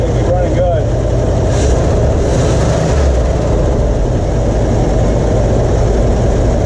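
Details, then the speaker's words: 1977 Ford F-250 4x4, 351 Cleveland V8, revived after sitting with gummed-up carburetor, fed from a temporary gas tank with old fuel; deep steady rumble at held throttle, no misses, some smoke expected; running properly. "it's good to hear it run of course there's going to be some smoke and some stuff but it's at least running which is more than i can say for it when i got it"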